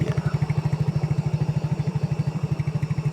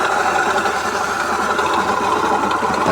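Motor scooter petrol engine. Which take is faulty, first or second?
second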